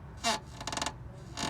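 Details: Toyota Corolla front suspension: sharp, groaning creaks in short bursts when turning the steering while stopped, from worn control arm bushings; sounds like strut top mount trouble, one nut found loose, poor-quality parts suspected.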